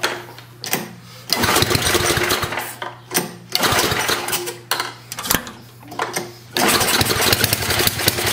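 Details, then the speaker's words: 1972 John Deere 56 mower with a swapped single-cylinder engine, after carburetor work and ether start with choke: engine ticks over in uneven bursts that pick up and settle; best idle it has had in a while. "that's the best that sounded that idle in a while holy cow"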